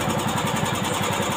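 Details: Old carbureted Honda Beat scooter, after fixing the electric starter that struggled to start it: quick, even putter with a steady beat and no misses. Idles cleanly.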